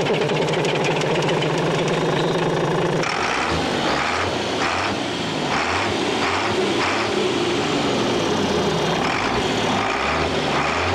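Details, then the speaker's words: Navistar International DT466 7.6 L diesel in an air-brake truck, started by jumping the tamper-proof starter; loud, steady idle clatter with an even pulse and no knocks or misses. Normal diesel idle. "the diesels are really cheating yeah sounds good"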